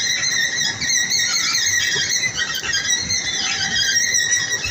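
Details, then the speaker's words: Station entrance escalator, previously repaired and now running: continuous high-pitched squeaking and chirping, a steady dry squeal over the running escalator. The strange noise's source is not identified. "ini juga sempat bermasalah juga kemarin tapi ini ada ada bunyi-bunyi aneh sih"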